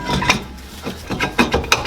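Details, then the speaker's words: 2011 Toyota Corolla rear drums after new shoes and drum resurfacing, drum turned by hand: light, even scraping swishes as shoes just contact the drum; adjustment correct. "So that's the sound you guys want to hear. Like it's already making contact."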